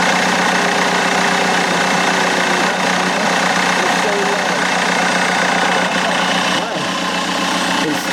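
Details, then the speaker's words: BMW E90 320d diesel, cold start just after fitting a new turbo: a steady high whine, almost a scream, over a rough idle. The cause of the noise is unclear. "It's cold start, so. It just sounds like I don't know. It sounds like someone screaming."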